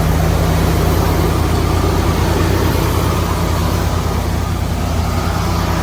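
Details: 1979 Ford Bronco V8 first start after about 15 years of storage, choke held open, fuel squirted through filter, starting fluid used; deep steady rumble with slightly uneven pulse, no clear knock, running on its own.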